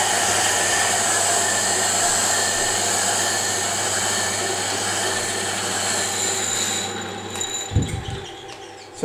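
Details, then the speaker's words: Diamond wheel on a D-bit/single-lip cutter grinder with run-out on its face, being trued against a kerosene-wetted old woodworking oil stone: steady hissing grind with low hum, now cutting evenly after cutting intermittently, bonding being removed. "can hear from that noise that it's cutting evenly it was cutting intermittently and you can see from the color that it's removed some of the diamond wheel bonding so it seems to be working"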